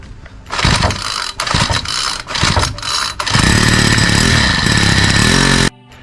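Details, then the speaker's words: Troy-Bilt four-stroke string trimmer after new spark plug (gapped 25–30), gasket and air filter: a few quick pulls, then it catches and holds a steady, even buzz before cutting off. Needed to warm up. Normal start and run. "Okay. So, this seems to have started and ran a little bit. Had to warm it up."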